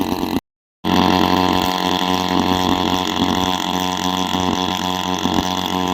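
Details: Small petrol engine of an agricultural engine drone holding a steady, loud, raspy high buzz, no misses or knocks, about as loud as an unsilenced bike; runs normally, just very noisy.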